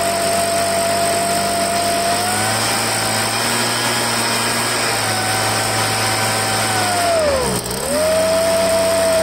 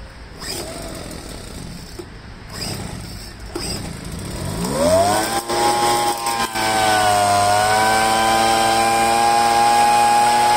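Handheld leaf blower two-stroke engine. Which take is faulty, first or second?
first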